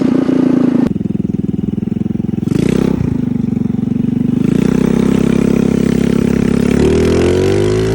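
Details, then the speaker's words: Carbureted engine after carburetor tuning, checked with wideband: steady note picking up cleanly and settling without stumble or popping; about 12 AFR at idle, about 13 at cruise; mixture sounds right. "so at an idle we're doing pretty good at like 12 afr at a cruise we're at like 13."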